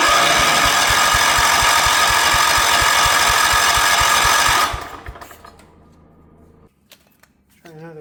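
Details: 1977 Wheel Horse B-100 after spark was restored and fuel added, with a little throttle: the starter chugs about four strokes a second but the engine never catches, only backfiring through the carburetor. The owner suspects it is out of time.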